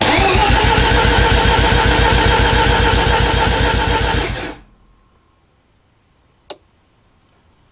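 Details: Mazda RX-7 FB Turbo II with MegaSquirt after connecting firewall connectors: steady even cranking at about 220 beats a minute for four seconds with rpm signal now reading; normal crank.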